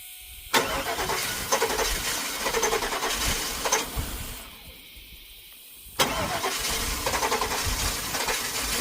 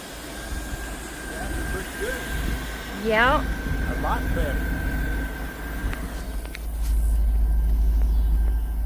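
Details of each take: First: 2000 Cadillac Escalade V8 with a crank-no-start fault, cranked after electrical repairs: two long stretches of steady cranking at about four beats a second with no catch. The engine is flooded with a smell of gas. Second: 2000 Cadillac Escalade V8 idling at about 900 rpm after the distributor cap and rotor fix cured a crank-no-start: low, steady, even beat with a faint whistle and no misses. This is the highest idle since it was bought.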